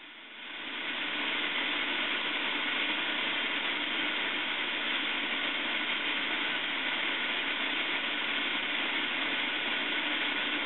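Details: CAIRE liquid oxygen portable filling from a CAIRE reservoir with vent valve held open: steady even hiss of venting gas, normal filling before the end-of-fill sputter.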